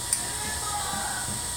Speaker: like a pumping right and it feels like the teeth to do the extrusion is it's kind of not gripping